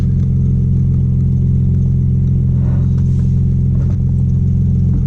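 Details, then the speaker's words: Audi B5 S4 just after new 3 bar MAP sensor and tune flash, engine still cold, fuel trims still adapting. Steady, even low rumble at about three beats per second, no misses or knocks; normal cold idle. "You still have to adjust, so once they adjust, they will start reading a little better once the engine warms up. It's still cold. But yeah, it seems to rev normal."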